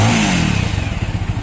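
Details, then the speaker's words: Bajaj Avenger single-cylinder engine revved after engine oil fill: crisp, even exhaust pulses on throttle blips, no rattle or misfire; engine sound healthy, normal revving. "तो दोस्तों देखिए इसका engine का sound जो है बिल्कुल सही है जितना रहना चाहिए बिल्कुल सही"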